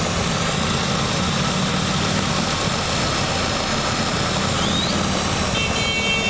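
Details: Engine with codes P0171 lean and P2101 throttle actuator, whole car vibrating, short-term fuel trim +34: unsteady idle with loud constant airy hiss near the intake, cover removed; vacuum leak, later confirmed large by smoke machine.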